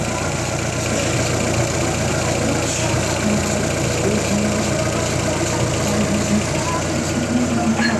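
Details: Fiat Toro that came in with an engine noise, diagnosed as the timing chain kit and variable guide rather than the engine, after repair: even, steady idle with smooth mid-pitched hum and no timing-chain rattle; normal running.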